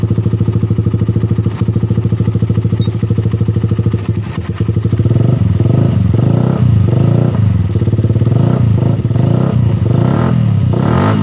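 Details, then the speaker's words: Suzuki Satria FU after repair: engine idles smoothly and revs with no more rough ticking from the cylinder head, fixed by replacing the damaged cam chain tensioner with a stud-bolt type; normal idle. "ini suaranya sudah halus sudah tidak berbunyi"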